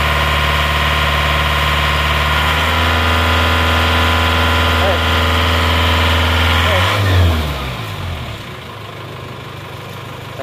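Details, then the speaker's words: Panther AE 1558 diesel after engine rebuild with new timing gears and clutch lining, revving: even smooth drone with no knock or rattle, revs falling cleanly; engine now smooth. "tapi gak apa-apa yang penting suarnya sudah halus dan Oke lagi gas-gasan"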